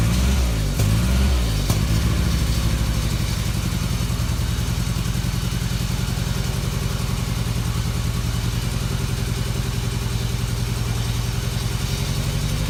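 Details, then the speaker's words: 1994 Toyota Tercel, hot-soaked with Seafoam through PCV vacuum line, two cylinders around 60-90 psi: rev drops to lumpy idle with uneven stumbling beats; misfire from low compression, suspected non-sealing valve. "so it's just a last-ditch effort because it's obviously not worth you know pulling the head it has a exhaust valve or an intake valve on so on before that's not sealing"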